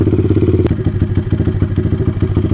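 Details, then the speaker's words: Taotao DB17 125 single-cylinder after a carburetor upgrade, choke off, idle screw turned down from slightly high. Steady, even low putter with no misses or hunting; normal idle. "that's good that sounds like a pretty good idle"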